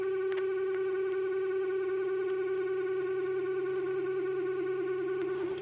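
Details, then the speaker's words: Passenger-side H4 LED headlight bulb's turbo cooling fan, about a week old, on startup: steady high-pitched hum with faint warble and felt vibration; noise fades once warm, light unaffected; seller claims high-speed fans are normal, owner doubts it. "after about a week have started making a funny noise and then u they warm. They they come good. I don't think it affects the LED. Haven't had a problem. But that noise, I don't think it's supposed to be there."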